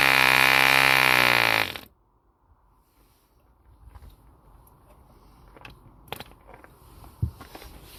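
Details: 1948 E.D. Mark II Competition Special, a long-stroke model diesel engine made in England, first start after a rebuild from two incomplete examples: a high, steady buzz held evenly under two seconds before cutting out, smooth with no misses.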